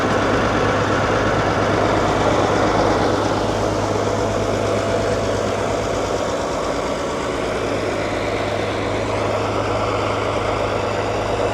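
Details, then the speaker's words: Allis-Chalmers HD14 bulldozer, around 1939 and fitted with a 671 diesel, first start after sitting for years: steady, deep idle with an even beat near three per second and a rough, unusual exhaust tone. The engine is possibly derated and the cause is uncertain. "this is a 238 in a truck and that's pretty big for a little dozer, so hence the reason it sounds different."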